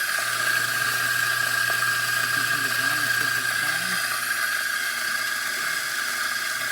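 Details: Mazzer Luigi coffee grinder after repair: it could not grind coarse enough and was very dirty, so the burrs and grinder were cleaned and readjusted. Now a steady, even high whirring with no catching, grinding normally.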